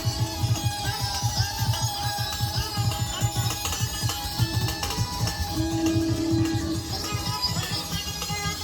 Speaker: So it works, but as you can hear, it's like in hyperspace. I don't know if that's double too fast, but it's fast.